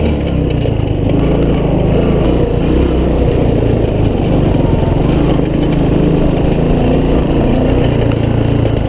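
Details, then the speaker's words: Honda ATC185, a rough machine needing full restoration but saved as a runner and rider; single-cylinder thumping at an even, steady beat with no knocks or misses; smooth and healthy. "we saved it as far as it's a runner and a rider now so yeah let's here run"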